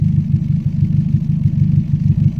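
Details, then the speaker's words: Daihatsu Gran Max after fixing an idle problem (DTC P0505; idle speed control, throttle body and TPS), idling at 700 rpm (600–700 is standard), heard at the exhaust: soft, regular pulses, smooth and steady. The earlier exhaust thumping is gone. "Nah, ini sudah standar dan suaranya juga sudah lembut ya. Oh, ya. Ya, knalpot ya. Nah, ini suara knalpotnya sudah lembut."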